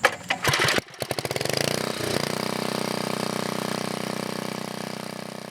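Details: 1980 Montgomery Wards 2200 W generator with a Briggs & Stratton 5HP engine, after a NOS block swap and carburetor rebuild: a few rough starting pulls and sputters, then a steady, even beat with no misses or knocks. Runs great, no smoke.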